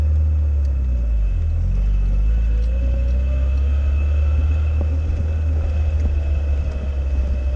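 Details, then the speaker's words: Classic Fiat Spider on its first drive in two years after replacing the mechanical fuel pump with a relay-fed electric pump: steady low rumble, smooth even pull at slow speed, no knocks or misses; normal running. "Okay. She's making all the proper happy Fiat noises. This is good."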